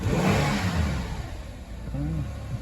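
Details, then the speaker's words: Kia Rondo 2.7L DOHC Hyundai Mu V6 (190 hp), after a DIY spark plug change: throttle blip picks up cleanly and settles back smoothly, no misfire or stumble, no engine lights, revs up nice; normal revving. "Fire's right up. No engine lights yet. Revs up nice."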